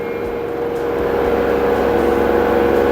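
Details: LG 8 kg inverter washer after repair of water-damaged display and selector, spin test reaching about 1370 rpm: steady high-speed hum with fixed tone climbing in loudness to full spin, smooth, no knocking; normal spin cycle.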